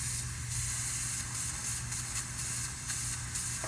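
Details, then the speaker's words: HVAC unit after a defrost board replacement: constant sharp hiss over a low hum that changes as a finger covers the joint; refrigerant leak at the filter drier's solder joint. "yeah she's a leaker Mama she's a leaker"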